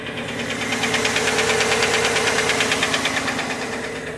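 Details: A sharp, steady tick about three times a second over the cold first-start idle, heard on the driver's side (bank one); a collapsed AFM lifter, with a P0300 misfire and oil pressure code set.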